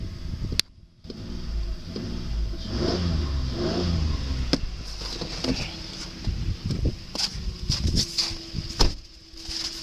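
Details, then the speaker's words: 2008 Ford Explorer 4.0L engine, a little over 100,000 miles, on an engine test: it picks up promptly through several revs and settles back smoothly, no knocks, ticks or misfires; very responsive, healthy, with clean oil. "I know it's a little over 100,000 miles on it. Engine's very responsive."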